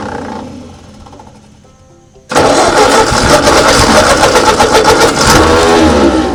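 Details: 1939 Ford tractor sat in field 20+ years, hand choked, throttle thought to be at low: quiet, then engine bursts into life with a fairly steady, even beat before running only a moment; normal running.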